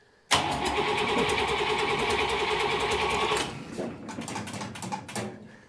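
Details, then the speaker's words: Buick Nailhead-powered vintage rail dragster: the starter spins the V8 at an even, fairly quick beat for about three seconds without firing; it cranks but gets no fuel, possibly from the pump struggling to pull through the fuel filter. "oh well first the first issue was it didn't have the ignition on but we're not getting any fuel"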